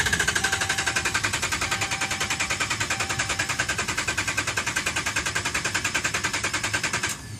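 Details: 2011 Dodge Ram, about 75K miles: rapid even machine-gun clicking for about seven seconds, engine never catches; no start, dealer found defective TIPM (Totally Integrated Power Module), replaced under warranty.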